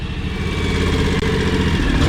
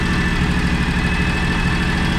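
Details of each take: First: John Deere X729 mower/tractor before a service, warming up to drain oil, exhaust at the front: uneven, stumbling idle with the odd lumpy pulse; engine missing at idle, owner suspects a clogged or choking carburetor. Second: John Deere X729 mower/tractor at operating temperature after complete service: steady even low idle, smooth regular beat, no knocks or misses, earlier idle miss gone. Normal idle.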